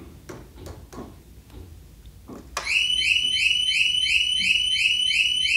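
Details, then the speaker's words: 2021 Harley-Davidson Road Glide Special with newly installed HD Smart Siren II, tested with the key fob kept away: a few clicks, then a loud warbling siren repeating about three cycles a second; alarm working properly. "so i took the fob put it in the house we're gonna turn this on real quick and see if the siren goes off"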